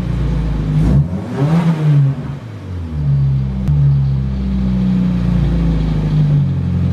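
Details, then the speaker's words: RHD Nissan S13 Silvia on test drive after sitting three years, boost leak noted: low steady drone from the rear that holds with road speed; owner suspects a rear wheel bearing, rusty rotors possible; center bearing checked, cause unclear. "as you can hear this thing has like the issue with the rear end I think it's the wheel bearing"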